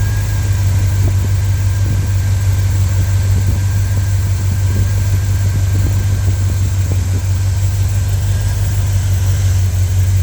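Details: V8 ("Big Bertha") on a chilly evening, new filters and breather, waiting for the thermostat to open: deep, steady idle with a faint, uneven ticking on top while warming up; rough cold idle.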